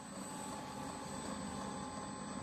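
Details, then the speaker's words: Diesel heater in a shop, just restarted and lit, output temperature climbing fast: steady even roar winding up, with a faint high fan whine and no misfires or surging; running normally. "It's winding up pretty good."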